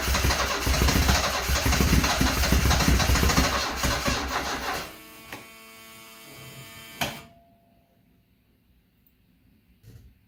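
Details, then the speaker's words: 1974 Alfa Romeo Spider Veloce, 10K original miles, stored 30 years; start attempt with throttle pressed: starter spins about four beats a second for five seconds, never catches; crank no start. "Well, you heard the results. Back to square 6."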